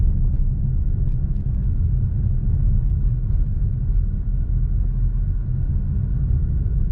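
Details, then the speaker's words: 2013 Dodge Challenger driven over a very bumpy road after replacing the clunking sway bar links with new greased ones: steady low road rumble, no front-end knocks or clunks; the suspension is now tight. "let's just ride the shoulder and listen nope no more clunking so those swi links were the problem"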